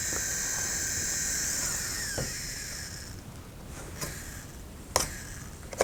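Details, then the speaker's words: Dell Inspiron 15 3535 laptop (AMD Ryzen 7 7000), new: high steady fan whir with scraping chatter and sharp ticks, the fan rotor catching on nearby power cables; fixed by pinning the cables away, then completely silent. "Kompletna cisza. Wentylator jest już naprawiony. Wirnik gdzieś w te kabelki się dostawał."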